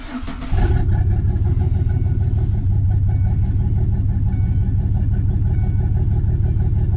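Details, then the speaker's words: 2005 Chevy Silverado 4.3L V6 after oil and air filter change: brief start-up burst then steady, even low idle hum, no knocks or misses, breathing better; oil pressure fine, check engine light on (owner suspects injectors). "I think it sounds better after uh we changed the air filter sounds like it's breathing a little bit better give it a little gas our oil pressure is reading just fine"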